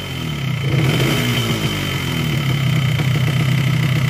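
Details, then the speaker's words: Yamaha RX-King two-stroke engine, block honed a week earlier yet still rough: uneven knocking under the revving exhaust that won't smooth out, judged a worn connecting rod/crank (rod was fine before honing). "Ya, dari bunyi seperti ini lahir kruk dengan stang itu sudah kena, karena ini blok baru polter tapi bunyinya masih tetap pada kasar. Stang yang bunyi."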